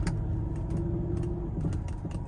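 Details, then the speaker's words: 2012 Range Rover L322 Autobiography: sharp irregular cracks and pops over road rumble during slow turns with body roll, worse in warm weather, from the worn all-rubber front sway bar bushings; the fix is new bushings. "you hear that? Crack, crack, crack. Crack, crack. Yep, there it is again. So I don't know what else it could be other than the sway bar bushing itself."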